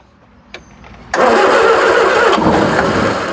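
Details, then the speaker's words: 1976 Triumph Spitfire 1500, sitting for years: a few cranks, then engine catches and roars steadily for a couple of seconds running only on gasoline and transmission fluid mix poured into the carburetor bowl, before carburetor and fuel pump are reconnected. "she's a runner she's a runner"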